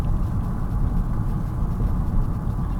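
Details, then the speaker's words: Car on a test drive after tie rod end replacement: steady low road rumble with no clunks or knocks from the front end, where the previous clunking is gone. Normal steering and suspension while driving. "so far I don't hear clunking like I would be four it's pretty much gone"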